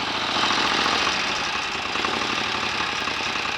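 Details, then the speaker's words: 1930 Royal Enfield 1000 cc Model K V-twin, kickstarted to check charging system and lights: lumpy, loping beat ticking over evenly with bright valve chatter; a faster kick would speed it up; idles steadily and sounds healthy. "that's all working nicely what a beautiful old engine listen to that a better fast swipe with a kickstart would speed that engine up"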